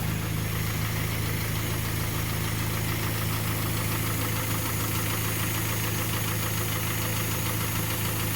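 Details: Kia Sportage 3, 122,000 km, warm idle before service (oil change from Shell 5W-30 to NGN 5W-40, throttle and injector flush): dull metallic knock about 160 per minute; the knock went away after the service, and a timing chain replacement is planned.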